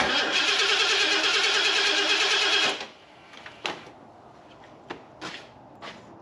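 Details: Fuel-injected Ford F250 after a new ECU was installed: steady cranking about three turns a second for nearly three seconds, no catch. Timing is off a lot; fuel is present but the injectors still aren't firing. Harness suspected.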